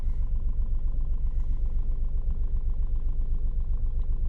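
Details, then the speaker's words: Skoda Rapid 1.2 TSI petrol engine after a timing chain kit replacement, the first chain change at its original mileage: smooth, regular low idle hum at about four beats a second with no chain rattle or ticking. "engine is working good all right now there are no more noises coming from the timing chain foreign so this means that I'm finished"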